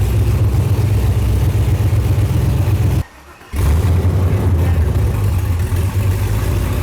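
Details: Built all-aluminum 5.3 L LS Chevrolet V8, bound for a 1999 Porsche 911 swap, on the dyno for the final full-throttle pull: deep, steady roar with a brief dropout midway, no misfire or rattle; made 299.8 horsepower.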